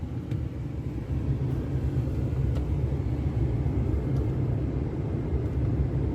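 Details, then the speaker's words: Jeep Cherokee 4.0 Limited heater blower that intermittently failed, often on first start, now running after the connector plug was found to be the problem: smooth, even rushing hum, no rubbing, ticking or surging; blower motor normal. "yep there's a blower now so there's nothing wrong with the blower [Music] it's only the plug see right on [Music]"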